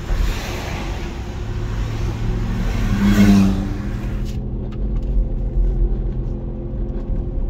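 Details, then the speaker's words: 2014 Infiniti QX60 3.5L transfer case: steady low roar with droning hum, dry-sounding, from a case that leaked fluid, likely at pinion, and overheated. "Okay, in this video, I'm going to show you how the transfer case is making a noise from inside. It's like a roar."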